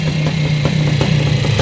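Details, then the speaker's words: Yamaha YZ490 air-cooled two-stroke first started after rebuild with correct parts so it runs the right direction: loud, crackly idle, sharp pops about three a second, ringing top-end clatter, running cleanly; normal idle. "okay so sounds good all right sounds good man these uh these air cooled motors are sure noisy though"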